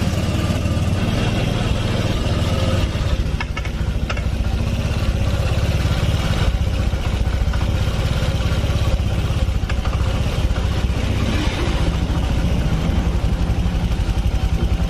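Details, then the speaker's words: Honda Vario Techno 125 injection scooter after fuel pump seal replacement, fuel pressure 42 PSI; steady, even low putter at idle with no misses, stumbles or knocking; normal idle, running smoothly again. "Mesinnya lembut lagi. Tuh."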